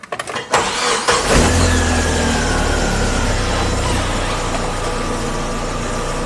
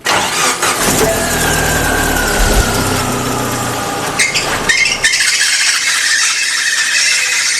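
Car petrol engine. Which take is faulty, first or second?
second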